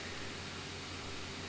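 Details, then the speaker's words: Lenovo C940 laptop gaming at low-to-medium settings, game muted: steady loud rushing hiss with a faint whine; cooling fans flat out under heavy processor load, very annoying noise. "And with the game muted, you can really hear that fan noise, which is very annoying and distracting."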